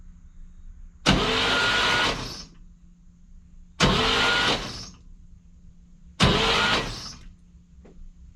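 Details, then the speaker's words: 1959 Cadillac project, stored 11 years, cranked on a borrowed battery with the fuel line and coil disconnected: three short bursts of even, steady cranking with no catch; turns over nicely, free and easy, not firing. "but that's turning over nicely seems free seems nice and easy"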